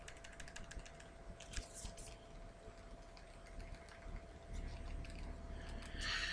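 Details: Spigen Neo Hybrid case on a Nexus 5: light uneven plastic clicks as the phone moves, the case's loose volume and power buttons rattling, especially when talking on the move.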